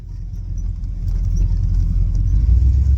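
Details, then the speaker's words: Classic catering truck with 351 Windsor V8 on a 500 CFM 2-barrel carburetor, on-road test drive, accelerating respectably: deep steady rumble pulling smoothly, no knocks or misses, no oil or fuel fumes; drives well, normal running. "Looking pretty good, drives well. Sounds good, doesn't reek with oil fumes or fuel fumes, so I can dig it."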